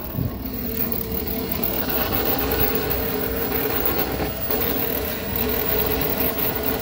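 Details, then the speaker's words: 1998 Club Car DS golf cart differential/transaxle: a thin mid-pitched whine over the motor hum that comes and goes, loudest at no load and quieter when accelerating or decelerating. Dry motor-to-differential spline, fixed with silicone on the splines. "all right do you notice the sound it comes and goes If you're sort of in a no load situation it's really noisy"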